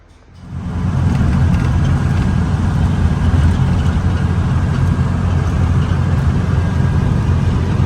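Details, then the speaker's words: 1964 VW Beetle air-cooled 36 hp flat-four at operating temperature after a drive; even, unbroken low putter at idle with no skips or rattles; runs super smooth, normal idle. "man it this thing runs like a pickle seater is just fantastic it just super smooth as you can hear at idling just just great"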